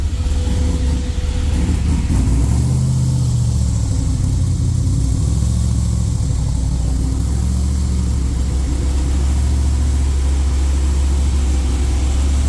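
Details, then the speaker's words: Freshly rebuilt LS V8 in a Jeep, with a new Comp cam and Holley fuel injection, not yet tuned for the cam. On first fire, warming from a cold start, it holds a deep, even fast idle near 2000 rpm to seat the rings. Oil pressure good. "She's alive. Running the RPMs up. Trying to keep it about two grand to help seat the rings right now."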